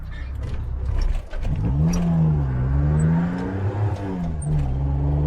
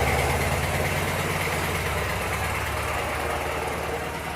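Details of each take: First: 1985 Suzuki Mighty Boy on a drive after 50 days sitting, a bit of choke on: engine revs, pitch sags and stumbles briefly then picks up; intermittent hesitation, owner suspects the carburettor. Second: 1985 Suzuki Mighty Boy after 50 days sitting, freshly charged battery: steady low three-cylinder throb about three and a half beats a second, even and slowly settling; healthy idle after starting.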